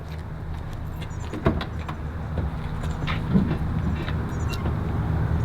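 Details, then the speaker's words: 1967 Camaro RS/SS, 396 big-block, 4-speed, original low mileage, on factory-correct exhaust with factory oval tip pipes: deep, throaty idle rumble with sharp throttle blips swelling and settling cleanly; healthy V8 exhaust. "I'm really glad I stepped back into that, because the sound is like, now it sounds like a real big block. You get that big throaty sound of it."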